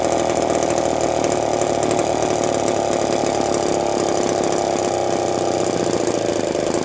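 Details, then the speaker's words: Homelite chainsaw (Terry-built, Canada) just started: uneven blubbery four-stroking burble at steady high speed, running rich; oil pump being checked, tuning planned. "well she is running rich I just want to see if this oil pump is working before calling at a night and going to find some parts we'll try tuning it too"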